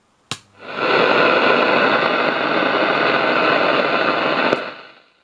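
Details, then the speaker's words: Pye 1113 vintage radio after insulating the driver transistor from the chassis, which caused the hum: strong steady hiss at high volume with no crackle or cut-outs, plenty of volume, problem sorted. "absolutely loads of volume problem sorted we don't need another transistor right there we go plenty volume now"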